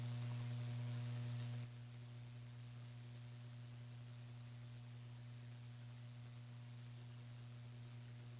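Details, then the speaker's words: PC build with Gigabyte RTX 2070 Mini, i7-8086K, HDPLEX 400 AC/DC supply, fans unplugged: steady low hum with faint high hiss that drops partway; electrical buzzing, suspected from streaming PC on same wall circuit. "the buzzing is worse now yeah maybe it's the streaming pc this is on the same wall circa as that"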